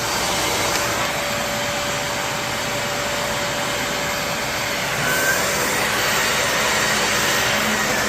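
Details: Shark Navigator vacuum with the brush roll on: steady high motor whine with an even brush-roll whir, no grinding, rattling or pitch drop; running healthy.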